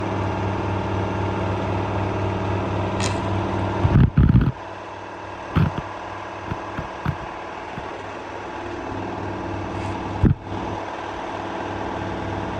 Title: LG washing machine F1222TD full speed final spin with a view of the dryer to be fixed 🤨🤨🤨